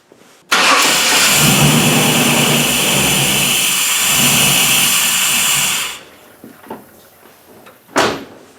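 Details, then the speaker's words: 1998 Chevrolet truck with crank-no-start, spark and 60 psi fuel pressure verified, mass airflow sensor unplugged: fires and idles about five seconds, then dies; cleaning the dirty MAF sensor later fixed it. "so now it'll run without the mass air flow sensor on there but of course it shuts off cuz the computer is looking for some signals"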